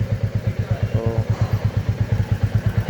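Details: 2024 Royal Enfield Classic 350 Reborn, taken to the showroom at first service for an engine noise: a heavy single thump about three times a second with a clattery edge. It sounds like a slack, noisy timing chain.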